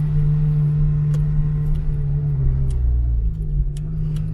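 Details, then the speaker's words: Honda Integra DC5 driving on a hot day, after topping up power steering fluid (level wasn't low, no leak): smooth steady drone, the earlier steering noise gone; noise was worst when cold, rack also suspected before. "Ah bah, tu vois, elle le fait plus le bruit là, tu vois."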